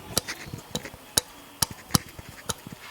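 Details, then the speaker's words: Suzuki GS-150 with the engine stopped at compression-stroke TDC: sharp dry ticks about every half second as the tappet adjuster is lifted and drops onto the valve stem, clearer on the exhaust valve. This shows the valve has free play. "टिक टिक की आवाज़ आ रही है। Similarly exhaust पे ये ज़्यादा clear है। मैं ज़ोर से जब एडजस्टर को ऊपर उठाता हूँ तो जब वापस जाके वो वाल्व स्टेम के टॉप पे गिरता है तो ये उसकी आवाज़ है।"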